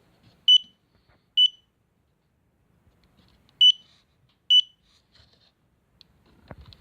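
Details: SDS Hobby/Peakmodel power distribution box, failed after 12 flights with CDI circuit no longer working: four sharp high beeps in two pairs about a second apart, then quiet; a warning beep, probably voltage.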